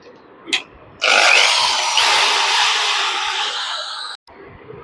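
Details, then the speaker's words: Dongcheng 13 mm drill, after repair for not running (suspected switch, carbon brush or wiring fault): sudden steady high whir about three seconds, even pitch without stutter; normal drill running. "இந்த machine வந்து பர்ஃபெக்டாக வந்து பார்த்தீங்கன்னா on ஆகிடுச்சு."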